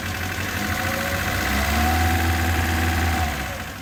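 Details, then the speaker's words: First start after carburetor rebuild with repair kit and jet changes. Idle sits very low and lumpy, a slow uneven beat around three a second; idle speed and mixture out of adjustment, to be tuned with a warm engine. "Segu on ka paigast ära niikuinii praegu. Seda tüvikäiku, seda peab sättima kõike nüüd."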